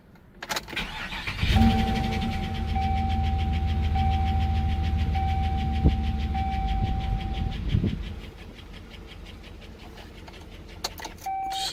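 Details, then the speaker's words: 2007 Chevy Monte Carlo SS started at idle: settles into a steady idle with a faint light tick about three times a second; engine ticking, cause not identified. "yeah you can hear that engine ticking making that noise definitely don't want that on to the next car"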